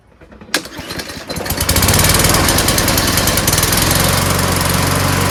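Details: Mower after fitting a replacement part with an O-ring: pull start catches into a fast popping, sputtery beat that never settles. The carburetor is doubted; the owner suspects cloudy, water-saturated gas mixed with two-stroke oil and will drain and refill.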